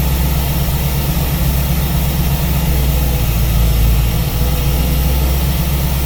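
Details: V8 with newly installed Ace's Killshot EFI and Blackjack distributor, timing locked at 15° for setting, at idle: steady even low rumble, no misses, ticks or hunting; normal idle.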